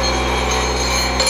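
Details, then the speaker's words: Brand-new standard vibratory feeder bowl running about 55 on the dial, tuned slightly under-tuned with reserve power: steady, even hum and constant buzz, good part movement, no rattle or stalling; correctly tuned, normal operation. "what you want you see us moving good movement up in the bowl you're going to see that - you got the reserve power this is a brand new unit I would send it out just like it is now with this tuning"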